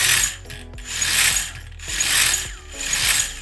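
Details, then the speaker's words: RC crawler operational check: throttle surges bring smooth hissy gear whine; at higher throttle the motor enters drive mode, less chattery than the stepping low-speed chatter, normal. "now as you spin it on up it goes into more of a drive mode which is not as chattery"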